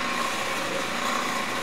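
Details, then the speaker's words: Vintage Delta Milwaukee drill press, all original, 110 volt. Steady whirring rush with a light flapping texture while the spindle turns, coming from the worn drive belt; quill and motor bearings are quiet when spun by hand with the belt off. "And that noise you hear is the belt. You know, it's the belt. Because I've actually taken the belt off and spun this by hand, and the quill bearings are quiet."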